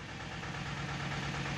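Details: Tata Ace Zip XL diesel, towed in as a no-start with fault code P0090 (fuel pressure regulator), after scanner diagnosis and repair: steady idle with even low thrum and constant tone, no misses or knocks; running healthy.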